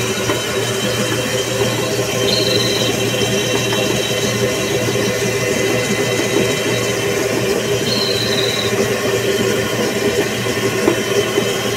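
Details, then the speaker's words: Pulley-driven generator on a test rig, under about 190 W and 14 A load: a steady whirring run with a constant rattle-hum and faint squeal bursts. Everything shakes because the drive pulley is bent and out of sync. "Lembrando que tá tudo tremendo aqui, pessoal, por causa da polia, tá? Não esqueça que a polia tá torta."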